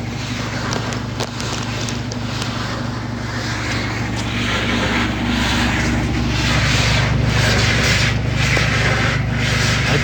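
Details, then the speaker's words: Washing machine running a wash with a harsh rasping scrape under the hum: the drum is rubbing against the cabinet sheet metal, said to be because it has water in it. "está raspando la lámina porque porque tiene agua"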